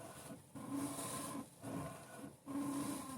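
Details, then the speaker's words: Lada Granta front suspension at 120,000 km, squeaking over bumps and when steering after rough roads: creaky, rubbery squeak about once a second from a worn ball joint; replacement ball joint bought, silent after the swap. "сейчас почитаем как оказалось так шумит шаровая вот купила новую шаровую сегодня вечером будем менять"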